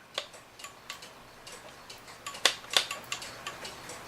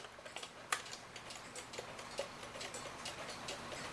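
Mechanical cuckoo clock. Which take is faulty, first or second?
first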